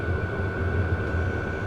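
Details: 12 V WIPPRO diesel heater, about a month old, run in December with the muffler off, just starting to blow warm air: a steady roaring blower and combustion hum with a thin constant tone and no fuel-pump ticking. Normal running.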